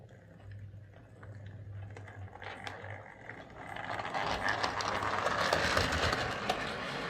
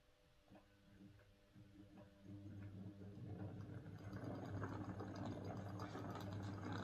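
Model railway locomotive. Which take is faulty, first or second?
first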